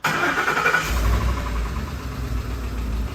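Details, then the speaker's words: 2010 Ford F-150 5.4L 3V Triton after a dealer timing job and oil pump, idling: loud rapid light ticking on both driver and passenger banks; roller follower tick, not phaser knock. "And it sounds like it's on the driver's side and the passenger side. So it's not a phaser knock. That is a tick from the followers. It's a lighter, tinier tick."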